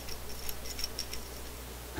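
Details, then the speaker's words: Seeburg jukebox selection receiver 2050 thyratron tube under test: quiet hum with irregular sharp ticks, then settling; abnormal, and the glass is suspected broken, not confirmed. "they're not supposed to sound like that you know I think this is boss I think the glass is broken on this just under here"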